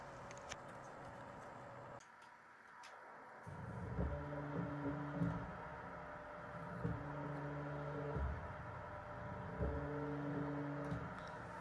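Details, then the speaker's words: Stepper motor driven by DM556 controller from a Raspberry Pi 5 in Python, compared against a TB6600: quiet clean tone rising, holding and falling in repeating acceleration cycles, no rattle or buzz; stable, normal stepper operation. "As you hear and see motor very stable, no noise."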